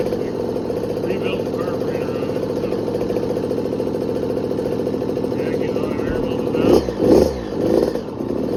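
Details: 2020 KTM 50SX Mini two-stroke, first start after full teardown, air bubbles bled, idle adjustable: crisp even steady idle then a few sharp blips, no leaks; normal two-stroke idle and revs.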